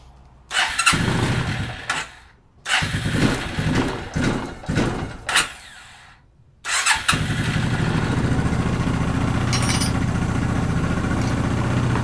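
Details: 1994 Suzuki Quadrunner 250 4x4 ATV after years sitting, carburetor rebuilt and new air filter fitted; a few cranking bursts with gaps, then catches and settles into a steady, even single-cylinder idle; normal start and idle.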